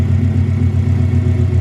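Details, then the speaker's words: Subaru flat-four, warmed up about 5 minutes, after spark plug replacement to cure a misfire/backfire (coil packs tested); a light throttle blip with steady even rumble, no stumble or miss: normal rev. "Give it a little rev, make sure it's running. Wow, beautiful."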